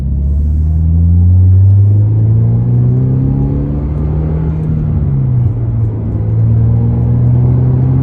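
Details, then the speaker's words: 2023 Toyota GR86 driven on the road with a newly installed aftermarket exhaust (transcribed "NVIDIA 1") in place of OEM. Deep, smooth note rises and falls with speed, with slight low drone at cruise. Normal, healthy sporty exhaust, deep rather than raspy. "I mean, it's like night and day from stock, and yeah, I like the sound of it a lot. I like that real deep tone. I'm not into the raspy stuff, so NVIDIA 1 worked out great for me."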